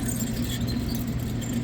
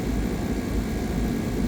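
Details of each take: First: Lennox AC unit with high-pressure codes on compressor 1; condenser fan motor spun by hand with unit off gives a rough, gravelly rumble and low drone, locking up one way; worn-out motor bearings, motor to be replaced. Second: Lennox 10-ton R-410A rooftop AC, running for a while with probes attached: smooth, steady low hum and fan rush with no rattles, squeals or cycling; the unit sounds healthy and even.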